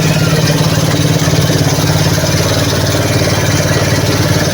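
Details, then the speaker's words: RKS150 motorcycle damaged by an inexperienced rider, rebuilt with used piston and valves: a loud single-cylinder idle with a rapid, hard metallic knock on every beat, about three or four a second. Caused by a damaged connecting rod. "Yan na yung tunog niya. Maingay talaga kasi sira yung connecting rod."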